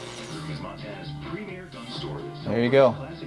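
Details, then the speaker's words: Lafayette LR-910 stereo receiver, left in a crawlspace about 29 years, after servicing: station audio comes through clear, voices and music with no hiss, crackle or fading; the AM section receives cleanly. "AM radio works and it works great."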